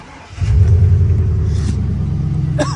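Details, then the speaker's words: Wrecked 2020 Chevrolet Silverado with a swapped-in engine from a 2003, smoking and oil around the exhaust manifold: revs climb into a lumpy, stumbling low rumble that keeps missing its beat; bad misfire. "you can hear it no you can hear the Miss bad"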